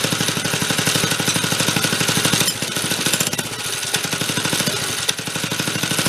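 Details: 1965 Corvair Monza SS go kart (Rupp), long stored, small single, no choke, air cleaner fitted: loud uneven firing about three beats per second, stumbling and dipping as throttle eased; hesitation off idle.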